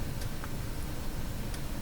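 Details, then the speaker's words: BSR A12 record changer in Canadian Spartan 5542 radio playing a record: faint sharp tick once per platter turn over low rumble, suspected velocity sensor being kicked back; changer misbehaving. "ticks every time around I believe that's the velocity sensor being kicked back"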